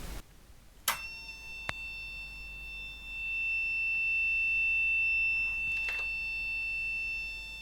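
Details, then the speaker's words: Olympia ESW 100-KSR serial typewriter/terminal, power supply fault: thin, high, unbroken whistle with a few clicks, a continuous fault tone while probing the 12 V regulator (fed from the 35 V rail) whose 12 V output appears absent; only 5.3 V on the input, suspected leakage. "so i'm just going to check to see if there is any uh 12 volts coming out of that regulator that's this device up here we'll just see if there's anything over there and chances are that 12 volts is completely absent"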